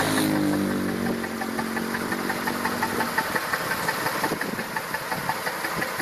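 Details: Massey Ferguson 2645 tractor, Perkins 6-cylinder diesel said rebuilt 100 hours ago, poor power and starting: loping idle exhaust beat near 170 a minute, pulses unevenly spaced; suspected valve not closing, low compression in one or more cylinders.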